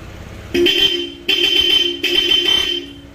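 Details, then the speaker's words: Dual horn after rewiring through a relay instead of the owner's plug-and-play setup: three firm honks, each a steady bright tone that starts and stops cleanly. The horn works properly. "So switch ng dual horn. Okay? Switch nung MDL niya na Ziam brand. Maliit. Ito yung isa para sa malaki. So lahat po yung gawa niya. Rewiring lang tayo. Paandarin natin, no? Busina. Pindot."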